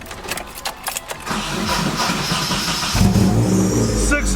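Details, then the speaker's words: Nissan 240SX after installing a new starter; the power cable is thought to have touched a brake hard line and melted things, now insulated. Starter cranks a few seconds, engine catches cleanly and settles into a steady idle; normal start. "success so I'm glad to hear here that it starts but we're still going to investigate make sure everything is good to go"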